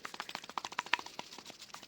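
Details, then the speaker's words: VW Golf 6 1.4 16V old wheel bearing turned by hand while being replaced; quick uneven metallic clicking with slight play, showing the bearing is worn, unlike the stiff, play-free new one. "entend ce petit jeu donc roulement quand même fatigué"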